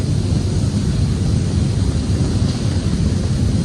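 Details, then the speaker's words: Newly installed Goulds well pump and jet pump switched on for the first time: steady low buzzing hum with even water rush, no knocking or cavitation, no leaks; good flow, normal pump operation. "that is water flowing baby and no leaks so far at least the plumbing coming out of the well well that sounds like a pretty good uh flow rate too"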